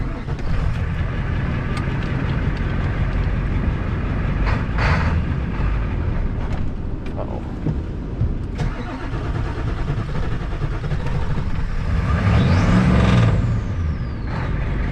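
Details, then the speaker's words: Engine run with ATF added to clean it out: low, rough running with uneven rattling clatter and scattered sharp knocks as the ATF works through; expected to settle, cause not confirmed. "Hear how she's getting all rattly and clattery? That's the antifreeze, not the antifreeze, the ATF making its way through. She'll knock and clatter and bang for a minute, but that ATF is doing is it's going through there and it's cleaning a bunch of crap out."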